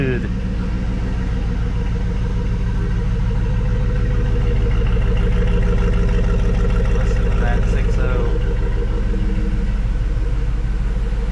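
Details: 2004 GMC Yukon Denali started after brake booster replacement (old booster leaked power steering fluid), checking for leaks: steady, even low idle rumble with regular beat, no knocks or misses; runs smoothly, sounds good.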